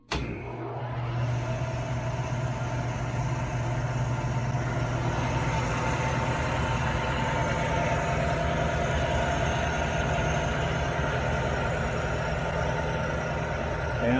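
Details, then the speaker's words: 1975 Hardinge HC Chucker lathe after tensioning the motor and spindle drive belts via the motor-plate screw: steady, even motor hum with a smooth low drone, no slap, squeal or knock as it coasts down; belts still slightly tight; normal running. "right now that sounds smooth all right let's letting it coast down still a little bit tight"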